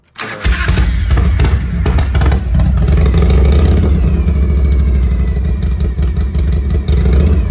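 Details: 1993 Harley-Davidson FXR with an S&S 82ci V-twin and chrome two-into-one exhaust, restarted warm; cranks, fires at once and settles into a deep, loping idle with steady throttle blips, a clean healthy warm start.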